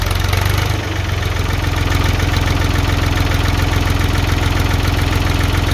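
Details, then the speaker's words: 1978 Ford 535 backhoe, Ford 201 3.3L three-cylinder diesel, started after a valve adjustment to 0.015 in intake and 0.018 in exhaust: settles into a steady even idle with a regular low clatter, healthy. "now we can go ahead and fire it up and see how she runs"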